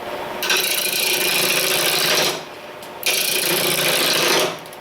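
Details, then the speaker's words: Powermatic 2014 lathe at 800 rpm, after styrofoam stuffed into the legs to deaden the tinny echo: steady hiss of turning in two even runs, no tinny ringing; the stand is now well damped. "that's a big difference before when i was over here doing rough you'd hear the echoed concept proven i know it works"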